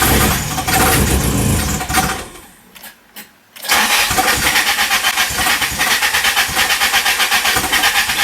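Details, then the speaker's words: Toyota 4Runner with a swapped SR engine and a new fuel pump: it cranks, catches and dies, then restarts and runs with an uneven pulsing rhythm, as if starved of fuel. Replacing the fuel pressure regulator did not help; cause unknown. "We noticed that the fuel pump that we put in worked a lot better, but it was like starting and then it would just shut the car off. It's like the car was running out of fuel."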